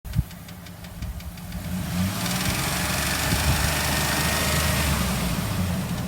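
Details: 2004 Dodge Dakota 3.7 V6 at idle: light, fairly regular clicking about three a second over the low hum; clicks up to 3000 rpm then goes away, present almost a year; shop said it's not the engine.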